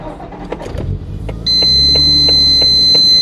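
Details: Skyline R33 GTST RB25DET, which had a slight misfire and vibration when cold that went away once warm, after replacing the ignition coils (number six suspected): cold start catches cleanly and settles into a smooth steady idle with no stumble or miss.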